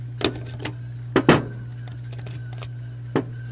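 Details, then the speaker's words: Honda electric trunk latch actuator, replaced for sticking; tiny motor with gear train, spring and microswitch; short buzzing motor bursts with sharp clicks over a steady hum, binding and not releasing; microswitch apparently shorting. "it's kind of stuck pop the motor again see if it'll"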